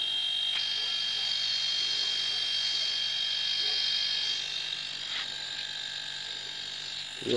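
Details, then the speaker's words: Steady, even high-pitched motor hum with no knocking or rattle from a homemade air compressor made from a refrigerator compressor, on test to inflate a car tire. It works perfectly; normal running. "funcționează perfect. Acesta îl montăm la cauciucul de la mașină și încarcă cauciucul."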